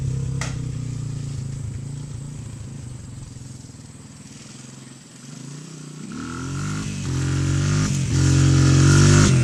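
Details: 1997 Honda XR200R found in a barn, on non-ethanol fuel, leaking petcock gasket sealed with gasket maker: single-cylinder thump ticking over evenly, then revving cleanly and holding higher speed; normal running.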